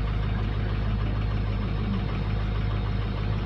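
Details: 2006 diesel (ICP/contribution balance checked) at 53 degrees start, deep uneven idle loping about three times a second; injectors number two and four bad per contribution balance; rough idle from faulty injectors.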